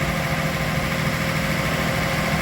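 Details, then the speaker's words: Datsun 280ZX, unserviced for 20 years and dry stored, first start warming up before the thermostat opens: steady idle with a light, quick tick riding over it; likely one hydraulic lifter ticking. "Sounds like one of the hydraulic lifters is ticking as well in there, so we're going to have to look at that."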